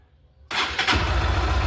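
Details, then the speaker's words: Honda Titan 160, starter fault traced to the positive wire breaking at a splice in the short handlebar harness and bridged with a temporary wire: the starter spins briefly and the single fires at once into a steady low idle. "E agora, ó, peraí, deixa eu virar a chave aqui, ó. Tá funcionando, ó, depois que eu fiz essa..."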